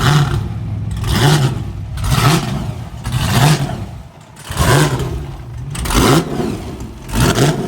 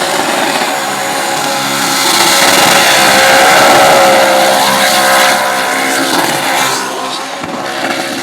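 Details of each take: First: Burnout car "Shut Up" at Northern Nats, test run before competition: repeated sharp blips, about one a second, each rising cleanly and dropping back crisply with no misses or knocks; no oil leaks, healthy. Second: Engine revving hard during a burnout, tuned slightly rich, roars at high revs under heavy tyre noise, then the note suddenly drops away as the rods exit the block and oil appears; catastrophic engine failure.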